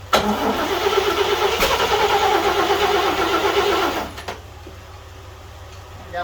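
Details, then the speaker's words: 1941 GMC one-ton pickup, 230ci straight six, first start attempt in 20 years with two-stroke oil in the gas: cranking about three turns a second, a few coughs that never catch; owner suspects flooding, no start. "only got close once and that was it let's try again again"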